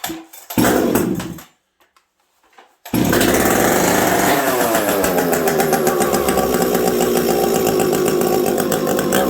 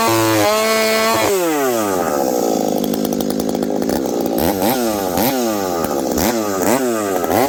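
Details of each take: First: Husqvarna 372XP chainsaw with bolt-on UFO muffler, very cold winter; fires up and revs hard with brief dips in pitch, a stumble from the low-speed jet set too lean, not the pipe. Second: Husqvarna 372XP with UFO pipe, high jet leaned slightly, warmed up, cutting frozen ash at about minus 30 to 40 °C: screams near full revs, dips and recovers in the cut with slight burbling; healthy rich four-stroking tune.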